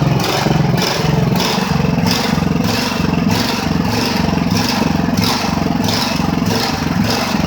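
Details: Ridgid generator with Honda GX390 engine, running after repairs and months idle, still not fully fixed: speed surges and sags about 1.5 times a second instead of holding steady. Engine hunting, cause unconfirmed.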